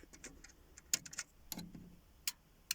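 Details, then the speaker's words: Dolby Stereo CP200 sound processor: sharp, dry clicks at irregular intervals, a relay switching inside when changing formats (heard on formats 43, 44, not 41); normal operation. "I'll hear it there hear that relay clicking in there like that"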